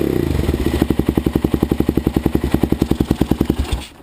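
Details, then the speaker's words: Suzuki LTZ/DRZ single-cylinder after camchain tensioner fix: even, steady idle thumping, the earlier ticking now much quieter, no rattle; normal idle. "you can hear it's not that loud ticking anymore so pretty"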